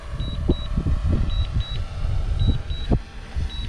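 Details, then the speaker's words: DJI Mavic Air 2 auto-landing on return-to-home: paired high beeps about once a second over wind and rotor hum, the normal landing warning. "it's usually pretty good you hear it beeping that means it's gonna land"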